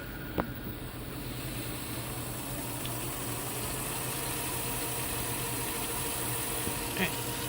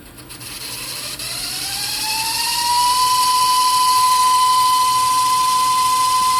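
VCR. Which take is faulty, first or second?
second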